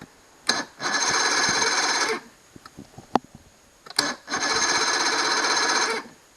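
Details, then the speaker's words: Johnson 90 hp outboard after carb cleaner sprayed into intake: two cranking bursts of about one and a half seconds, steady whirring spin with no firing; starter works but motor won't start, fuel stuck in primer bulb, later fixed. "See, starter is working, but what do you call that? The motor will not start."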